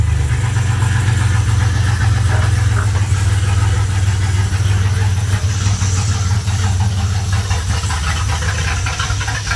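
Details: Fuel-injected engine's first start in 4½ years after a new fuel pump, filter, plugs, wires, cap and rotor, a cleaned injection spider, fresh gas and a battery: a deep, steady, low idle rumble with no stumble or miss; running healthily.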